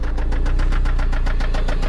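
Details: Toyota MR2 SW20 with 5S-FE engine, walkaround at idle on its final drive before a 3S-GTE swap: a sharp, regular, deep metallic knock about seven times a second over the idle; a worn rod bearing, rod knock.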